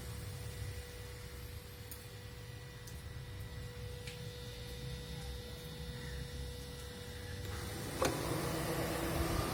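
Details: 2015 Toyota Prius Alpha, 91k km: a quiet hum turns into a louder, steady droning whine as the AC compressor engages. The noise is louder in very hot outside temperatures.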